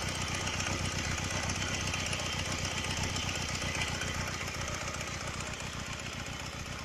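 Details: Honda Rebel 125 idling with a fast, bright metallic ticking about four per second, heard right after cylinder and pistons were replaced; owner suspects a loose camshaft chain and hopes it isn't a piston problem.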